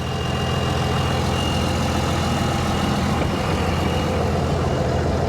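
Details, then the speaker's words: Cummins diesel-swapped Ford Explorer 4x4 on its first drive, doing a multi-point turn: a thin, steady turbo spool whistle rides over the deep diesel drone; the turbo spools normally, though transmission gear noise is noted afterward. "You can hear the turbo spool."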